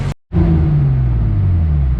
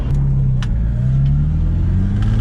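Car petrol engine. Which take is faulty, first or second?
second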